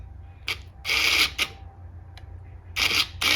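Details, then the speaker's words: 2004 Arctic Cat 400 4x4 actuator (0502-296), repaired with a new relay and reinstalled: short bursts of motor whir, each stopping cleanly as it shifts between two- and four-wheel drive; it winds like it should. "but I can turn the switch on you can hear it wind like it should"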